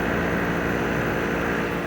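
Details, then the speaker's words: Dehumidifier running after filter cleaning, blowing warm air: steady, even low compressor hum with soft fan rush and no knocks or rattles; working fine, fitted with a new 3-prong 120 plug. "It's blowing warm air, and if you listen, you can hear the hum of the compressor."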